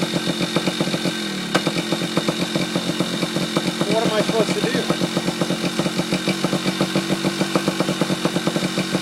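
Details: Yamaha Chappy two-stroke after HPI ignition install, stator had been shorting to the case, owner suspects too many grounds: crisp, even popping at steady idle, no misses or stumbles; now running, normal idle.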